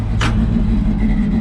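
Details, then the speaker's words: 1970 Chevrolet C10 at idle, heard near the side-angled exhaust tip; deep, even exhaust burble with no misses or knocks, sounds healthy. "sounds pretty good"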